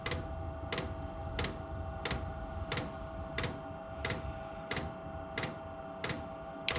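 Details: Steady sharp ticks about 1.5 per second over quiet room hum: the normal dosing pump pulsing as an OMT 8kW diesel heater in a garage starts up, purging an air bubble from the fuel line just before the glow plug fires.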